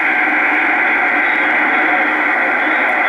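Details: Pace 1000-B 23-channel SSB CB base radio from about 1975, repaired and retuned, heard through its small internal speaker: a steady, even hiss of static with no crackle or dropouts; the receiver is working normally.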